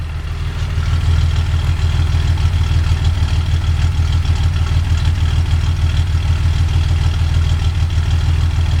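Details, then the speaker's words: 1982 Datsun 280ZX, otherwise stock, with Motorsport Auto ceramic-coated header, 2.5in straight exhaust, K&N intake, rebuilt EFI; recorded partly inside garage so louder, owner thinks valves need adjusting; deep even idle rumble, steady low burble, no ticks or misfires; normal idle, free-flowing exhaust. "It's a little bit louder than normal because I'm somewhat inside the garage. But here's what the exhaust sounds like."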